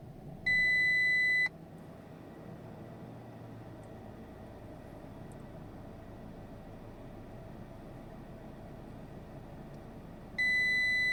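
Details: 2021 Audi Q3 2.0 TFSI Quattro, about two and a half years old, won't start with multiple dashboard faults: quiet cabin, steady high warning chime repeating about every second.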